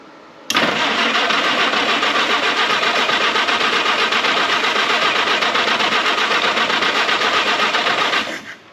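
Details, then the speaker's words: Historic Ford Willys Jeep, long-stored, manual choke: even cranking at about four beats a second for eight seconds with no firing; crank no start, owner suspects dirty ignition points, later sanded and re-gapped with a business card. "I almost bet I need to clean the points up some kind of way. Well, I'm going to go clean them points, get them better, then I'll get back."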